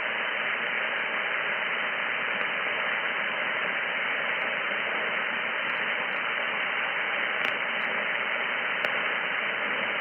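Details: Steady, even static hiss on the receiver at about S7 signal level with all household circuits on. Breakers are switched off one at a time to hunt the radio frequency interference source, still unknown.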